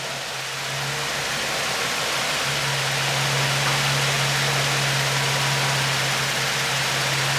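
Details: G35 drift car first start after installing low-mileage replacement engine, with Godspeed exhaust: even steady idle and note rising cleanly on revs, no knocks, misses or leaks; normal running.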